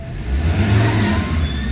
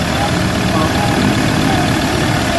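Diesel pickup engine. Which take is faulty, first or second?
second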